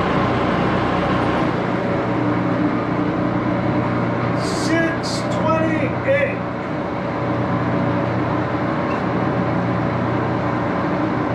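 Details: 14x30" Axelson heavy-duty geared-head lathe run up through its speeds, headstock filled with AW68 hydraulic oil (about SAE 20); steady, busy gear whirr with brief chirps at speed changes, a bit noisy but running evenly, normal.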